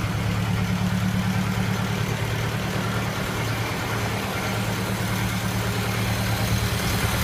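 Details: Early 1928 Ford Model A Tudor sedan, not fully warm, on the existing reproduction muffler before replacement with an Aries system: low, slightly rough idle with a loose puffing exhaust note hinting at a leak at the muffler clamp.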